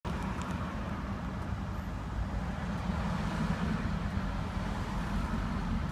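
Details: Deep, even idle rumble from a Range Rover P38 4.6-litre Bosch V8 after misfire diagnosis, with no stumble or skipped beats; all cylinders firing smoothly.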